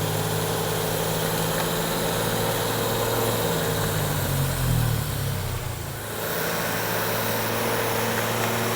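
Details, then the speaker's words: Freshly rebuilt six-cylinder engine on first start, statically timed to the 1 and 6 flywheel mark on original starter: steady, even, quiet idle, cams quiet, good compression, 4 bar oil pressure at idle; possible fuel supply issue suspected; normal idle. "So Gus, that sounds nice and quiet actually. Yeah, The cams are really sounds good, quiet. yeah. Good compression. Yeah, that's very pleasing to hear."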